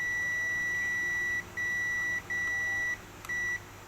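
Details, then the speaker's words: Panasonic 60-inch TV backlight inverter board, multimeter buzzer continuity test on a FET: four sharp, steady high-pitched beeps on every leg, not necessarily a shorted FET or pad, possibly leftover capacitor charge. "Nah, di semua kakinya bunyi itu belum tentu mouse pad atau padnya yang rusak. Bisa jadi karena ada sisa muatan listrik dari kapasitor."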